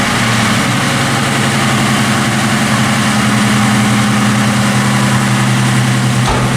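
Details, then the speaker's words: 1995 Mustang convertible after replacing the idle air control valve and fuel pump. Idle rises at start then drops back, showing the new IAC working. Steady, even idle, smooth low hum, no misses or ticking; healthy. "You hear how the second I started it, that idle was raised, and now it's went back down? That's what that IAC does. It seems to be working perfect too."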